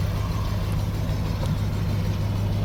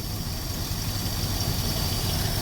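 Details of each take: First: 1964 Dodge field find "Earlene", running after brake and tire work: a steady, fast-sounding idle with an even low rumble and no misses; the idle is pretty high (RPM unknown), and the owner plans to turn it down. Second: 1964 Dodge "Earlene" after a cold start, with a vacuum leak plugged and the air cleaner off: a low, steady, even idle rumble with no ticking, misses or hiss; a smooth, calm, docile engine.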